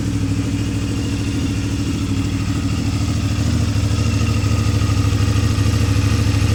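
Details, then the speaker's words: CFMoto 450 MT single-cylinder at idle after fixing a stuck cam chain tensioner (snap ring removed): steady, even idle with deep exhaust beat and no mechanical rattle; engine healthy. "Sekarang suara knalpot sudah terdengar lagi, Teman-teman. Beda jauh sekali kan, Teman-teman, dengan sebelum direkondisi, sebelum diperbaiki."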